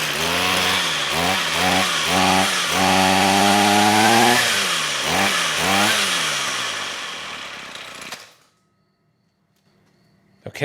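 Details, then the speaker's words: Trash-found Ryobi two-stroke string trimmer with a broken air box, on fresh fuel after stale fuel was drained: buzzy engine surges unevenly for eight seconds, then dies. Spark and compression are good; the carb is suspected clogged and needs cleaning or replacement. "well it runs so we got spark we got compression fuel is the issue so i don't see any adjustment screws on this i think it needs to be cleaned"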